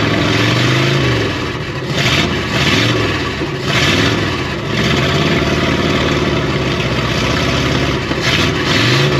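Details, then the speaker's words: 1972 Oldsmobile 98 V8 revived after sitting, throttle return reconnected and ignition advance added: revs up and drops back cleanly with an even, crisp beat, firing on all eight in correct order; slightly too much advance, to be backed off. "it sounds way better than it did before though doesn't it it's definitely firing on all eight and in the right order"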